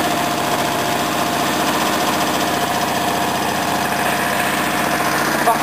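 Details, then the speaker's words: Small engine (earlier wouldn't start with fuel tap off): steady, even chuffing idle with no misses, knocks or hunting; running properly. "turn it on runs fine this one here right at the moment so do a little demonstration this one working properly now"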